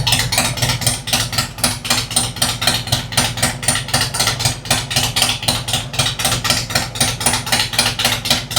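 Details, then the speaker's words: 2003 100th Anniversary Harley Road King with an Andrews 26A cam, new headers and a ThunderMax, at first start: an even, loping potato-style beat at steady low idle, music faint behind, sounding smooth and healthy. "I don't know if you guys can hear that. I imagine you can. That is one sweet idle right there."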